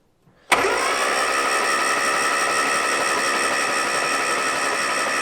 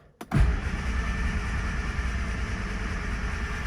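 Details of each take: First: 1970 Morris 1300 (ADO16) barn find, long sitting, starter refitted and hot-wired: starter engages cleanly and spins engine evenly for about six seconds; cranking healthy. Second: 1970 Morris 1300 (ADO16) barn find, sat for many years; starter churns and engine turns over but never fires; no start.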